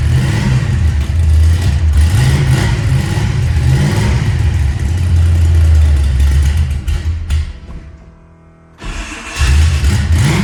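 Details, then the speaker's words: Ford Mustang Fox Body V8: loud, raspy, with a chuffing tick that sharpens on revs; sounds like a dump truck, from an exhaust leak at a blown header gasket. "Sounds just like my dump truck."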